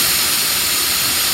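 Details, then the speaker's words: 2011 GMC Terrain with check engine light, P0496 EVAP flow during non-purge, valve bench-tested with blown air: air backs up when closed, steady airy hiss when clicked open, stops when released; valve opens normally when energized. "Now see, I'm blowing air through it, and it's actually backing up."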